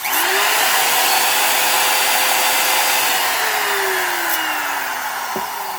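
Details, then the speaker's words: Porter Cable 7301 type 1 trim router, higher use, shown as the reference for normal sound: the motor spins up to a clean, steady high whine and winds down smoothly with no grinding; bearings healthy, though it may need new ones eventually. "I actually have a type one this has a lot more use but this is what it should sound like"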